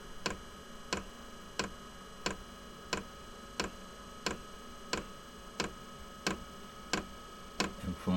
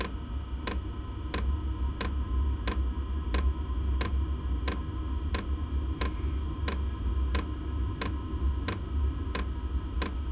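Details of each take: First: Inexpensive diesel air heater in a small workshop during priming and initial startup, glow plug on: sharp, loud ticks about one and a half per second over a faint hum; normal, and the ticking stops after startup. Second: Inexpensive diesel heater in a shed workshop at first startup with glow plug on; sharp even ticks about 85 per minute over low rumble; dosing pump priming ticking, expected to fade after startup.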